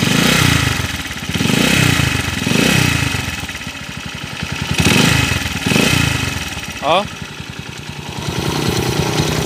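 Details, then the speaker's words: Honda TMX155 single-cylinder motorcycle that knocks when cold and quietens when warm: rough rumbling and clattering as revs swell and fall, with a grinding rotation, from a worn crankshaft bearing. "oh ayun malagitik tapos yung magaspang na umikot dito yung ma- vibrate parang yung kwan niya yal bearing parang yung segal bearing nito mga bro"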